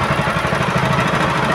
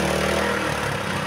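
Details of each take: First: Honda GX160/200 single-cylinder petrol engine after governor adjustment: holds a steady, even speed with no hunting or surging, rising only when throttled and dropping when released; normal governed running. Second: Honda GX160/200 single-cylinder petrol engine: with throttle released it races high and steady and won't drop toward idle; governor misadjusted.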